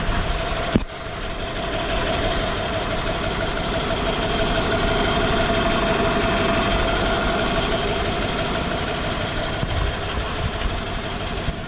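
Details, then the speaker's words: 1995 Ford F150 4x4 with fan, fan clutch and other accessories removed, at idle around 1,400–1,800 rpm: steady idle with a light, irregular knock around three per second plus a drone; cause unknown, owner suspects flexplate, compression check pending. "so I'm just not sure what is going on maybe the camera picks up something that I can't hear out here"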